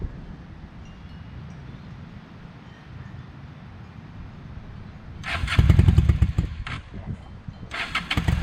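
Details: 1998 Honda Shadow 750 ACE V-twin, parked over five years, after carburetor cleaned: low rumble then catches quickly into a loud, throbbing idle with blips; starts readily and runs normally, louder than remembered.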